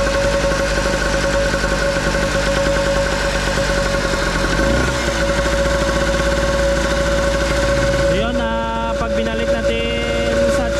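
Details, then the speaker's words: Nitto two-stroke generator that would not start, now running: steady buzzing drone holds only with the choke butterfly partly open, dies with the choke set otherwise, then hunts; clogged carburetor. "binalik natin na ganyan mamamatay tapos pag i- natin na medyo open lang yung kanyang butterfly ah normal ang kanyang andar ah ibig sabihin niyan Yung kanyang carb"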